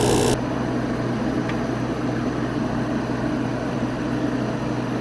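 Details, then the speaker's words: New old stock 1988 Sears Kenmore 6000 BTU R22 window air conditioner on power saver, run after a year: steady low hum, even fan rush, soft refrigerant flow hiss; compressor started and running smoothly. "hear the refrigerant flowing good old r22"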